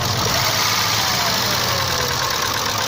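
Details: Isuzu 3.2 6VD1 SOHC 177 hp V6 at idle: fast light ticking, a few per second, over a steady idle; hydraulic lifters clattering, blamed on bad oil since the knock disappeared on different oil.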